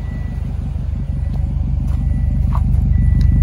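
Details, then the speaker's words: 2006 Subaru STI after replacing fouled spark plugs that caused a cylinder 4 misfire: even, steady idle pulse near three beats a second, no stumble or miss. "no roughness in cylinder four no more. Spark plugs, boy. Fouled all the way out."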